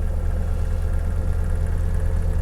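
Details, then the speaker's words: 1989 GMC S15 (Chevy S10 equivalent) pickup, 64,000 on it, starting right up: a smooth, even low idle with a steady deep hum and no ticks, knocks or misses; it runs healthy. "Let's see how it sounds. So, there you go. Starts right up."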